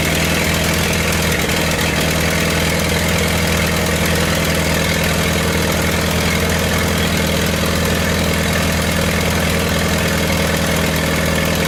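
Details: 1928 Farmall Regular four-cylinder after carburetor tweaks, started with timing advanced about halfway: steady low chugging idle with an even beat, no knocks or rattles; normal idle.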